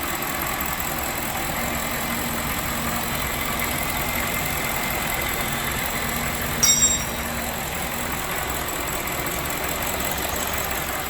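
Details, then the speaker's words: BMW E65 735i V8 on first start after an engine swap, running with no exhaust fitted: loud, raw, even, steady idle without knocks or stumbles; a vacuum leak was heard on starting. "it's working freaking perfect everything is okay"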